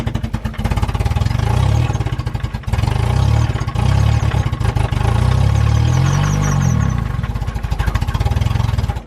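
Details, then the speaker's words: Mazda Miata NB small four-cylinder revving with rough regular clatter under exhaust, owner says rod knock, motor to be pulled and fixed: engine knocking. "it has rod nook so I got to pull the motor and fix that"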